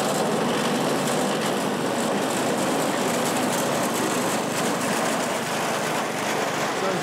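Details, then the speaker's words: California Trimmer mower, small single-cylinder engine, after the carburetor was fine-tuned an eighth to a quarter turn to stop surging and the fuel pickup tube hole was cleaned; steady, even idle with no hunting or surging. "you can hear, it's idling pretty good now. I fine-tuned the carburetor. I had to go in basically an eighth to a quarter turn and find that perfect sweet spot so it would stop surging."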